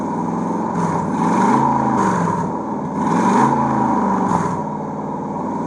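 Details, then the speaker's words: Chrysler 300C Hemi after map sensor replacement and throttle body cleaning, first start, very loud: open-exhaust V8 revved up and down twice, note uneven and ragged; rough, lean-running, cause still unknown. "before i play those clips headphone users beware and audio users beware because it was very very loud but here y'all go"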